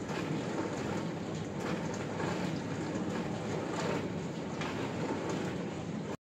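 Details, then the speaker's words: Arçelik dishwasher after replacing the faulty wash pump capacitor, which had left it noisy and not washing: steady even hiss of water spraying in the tub, spray arms turning, no grinding or humming; wash pump healthy. "İsterimi sesi aldık. Gayet güzel makine çalışıyor şu anda."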